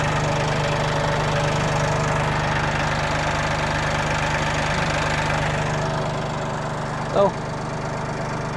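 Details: 2021 Massey Ferguson 1835M diesel tractor at 50 hours, idling after oil change and filter replacement: steady low diesel clatter, even and unchanging, no misses or knocks; engine running normally, no leaks found.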